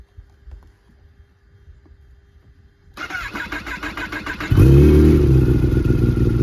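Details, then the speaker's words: Kawasaki ZX-10 roll-race sportbike, cold start before an oil change and first ride: quiet, then engine fires and settles into a loud, uneven, loping idle at about four beats per second. "So, hey, listen to that idle. >> Yeah. Sounds like it's a a cam."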